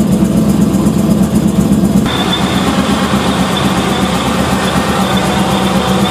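Steady idle with a fast, uneven ticking about four per second over the engine hum; an odd noise whose cause cannot be pinned down.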